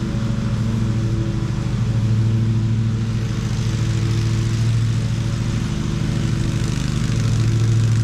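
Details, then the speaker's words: Ariens riding mower model 93606800/A25KH54 after drive belt replacement: steady even engine drone, belt noise gone, drive running quiet and smooth. "Well, everything seemed to work fine. It was good and quiet. So, that was the main thing. I could hear that belt making noise before and now it was good and smooth."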